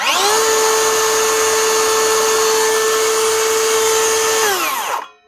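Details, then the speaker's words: DeWalt 54V FlexVolt DCS577 type 2 brushless circular saw after replacing the collapsed top blade bearing with a 6002 bearing and gear grease; steady, clean high whine at even pitch, then smooth spin-down with no grinding or rattle, healthy motor. "nice one DWT 54 volt skill saw up and running again with a new bearing"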